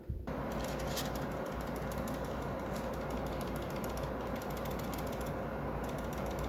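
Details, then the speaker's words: Glorious Model O Pro mouse, white unit later returned to Glorious: severe, dense fast clatter of small plastic clicks as the mouse moves, something loose inside the shell; source could not be identified. "and that is because I had to send it back to Glorious. It had quite a severe rattle."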